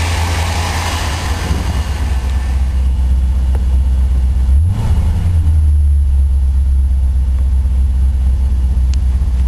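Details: 1984 Corvette Crossfire Injection, cold start at about 25°F, temperature gauge not yet registering, after Thermac heated air cleaner restored: deep steady idle with one brief rev, settles back smooth with no hunting or stumble.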